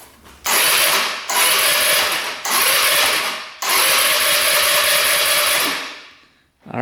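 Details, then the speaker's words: 2017 Tao Tao scooter, small four-stroke, before repair: three bursts of fast, even electric starter cranking, fuse holding, no catch or firing; cranks freely but won't start, later traced to a tight exhaust valve. "Listen to that. doesn't want to go. But the fuse is holding. That's a good sign. I'm surprised the electric start works."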